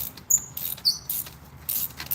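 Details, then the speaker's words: BMW X3 3.0 L inline-six spark plug removal: short sharp high squeaks in uneven bursts as the plug turns out, suggesting the plug is gone; rear three plug wells (cylinders 3–6) were full of oil. "So, that sound right there just cuz you can hear the squeaking tells me that that plug is probably gone."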